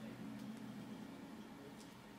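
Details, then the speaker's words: 2008 Mac Pro on OS X Yosemite with SSD boot drive plus mechanical hard drives: faint steady hum of disks spinning up and down while shutdown hangs and the machine stays powered. Cause unclear; owner suspects unused cards. "Mac is still powered up hard drive spinning up not sure if you can hear that in the background just hard drivve spinning up and down everywhere"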